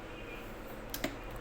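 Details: 16-inch electric fan that oscillates but not through its full range and clicks: quiet fan hum with sharp, irregular clicks; the repairer raises a worn shaft as a possible cause.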